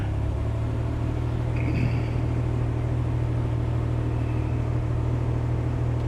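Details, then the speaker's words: 1966 Corvair Turbo with a newly fitted Mikuni carb, cold start at 59°F: deep rumbling idle with an uneven, lumpy beat; rough until warm, idle set at about 1000 rpm. "She's a little cranky till it warms up."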